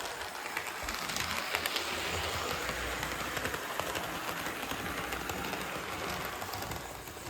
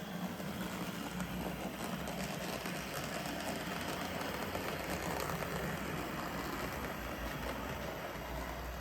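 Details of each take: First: Budget SD40-2 model locomotive after a cheap replacement motor upgrade, running laps on the track: steady, even rolling hum with light wheel clatter and no motor growl, much quieter and smoother than before; normal smooth running. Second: Budget SD40-2 model locomotive after a one-dollar motor upgrade, with extra weight added, running at higher speed: a steady whirring rumble with a light rhythmic clatter, still smooth; owner suspects wheel noise from dirty wheels, not the motor.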